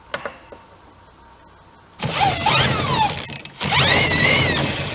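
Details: Small engine on a 7-foot mini speed boat, left sitting with moisture and rusted up, spun with a clutched drill on a 1/2-inch socket: drill whines steadily but no firing or catch at all; no spark, kill switch wiring suspected next.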